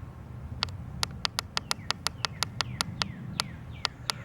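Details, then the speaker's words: Gilmour watering timer with Rain Bird pressure regulator while its schedule is being set: sharp, dry, slightly uneven clicking about three times a second as the valve keeps opening and closing by itself; the cause is unclear. "I hear the valves opening and closing already. I don't get that. I'm going to say start time of you hear that clicking, clicking, clicking."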